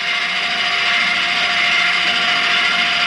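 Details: Keystone Lorado 329RE electric stabilizing jacks run down on a levelled trailer until taut: steady high-pitched motor whir with gear chatter, even and unbroken throughout.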